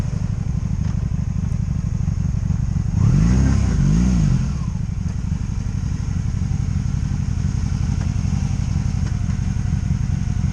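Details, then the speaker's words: 2002 Honda Magna VF750C V4 after rebuild, warmed up for a first road test: steady, even burble with one smooth rev rise and fall, no ignition cuts, bucking or stumbles; engine runs cleanly non-stop for the first time. "that was going to be the test run for the first time ever on this bike with it running non-stop. That means no ignition cuts, no bucking, no nothing, just it ran good."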